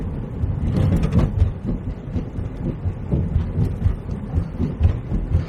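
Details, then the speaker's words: Car driven over a very rough, uneven road: irregular low thuds up front about twice a second, like a little popping. The driver suspects a worn bush on one of the front suspension arms. "And it's reminded me that I've got something wrong with the front suspension now. You can hear it knocking."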